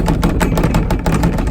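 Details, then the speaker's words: Kawasaki Mule 2510 running; quick irregular clunks and rattles about five per second over a low rumble from a loose part bouncing because its hold-down straps are broken, heard the whole time driving; new straps and hardware needed. "most of these straps are broke we got I think the one in this corner is broken but hanging on on one side and one over here the same way and that's all let's hold this thing on and when you drop it"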